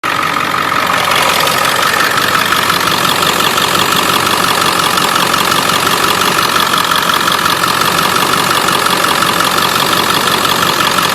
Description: 7.3 Powerstroke tapping/ticking uppipe exhaust leak